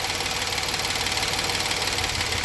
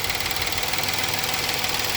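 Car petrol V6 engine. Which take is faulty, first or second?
first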